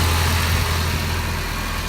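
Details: Nissan KA24DE running after an ignition switch replacement fixed its starter-click no-start: smooth, even, low idle hum with steady loudness and no knocks, misses or ticks; owner suspects a vacuum line air leak near a replaced freeze plug.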